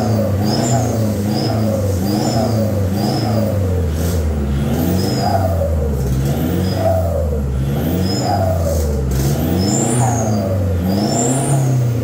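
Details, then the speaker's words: Toyota Fortuner VNT turbo diesel, newly fitted full-set exhaust without resonator, revved: high whistle rising and falling with engine speed over deep diesel note, plus metal-on-metal sound; whistle suspected built in by previous owner. "Enggak kelihatan enggak kok bunyinya kayak kayak peluitan tapi enggak jelas ya"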